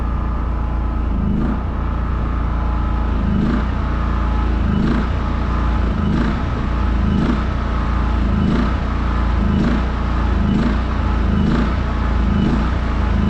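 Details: New WEN 56380i 3800-watt inverter generator at first startup from unboxing: steady low drone with a soft swell every second or so at even speed; running smoothly and healthy.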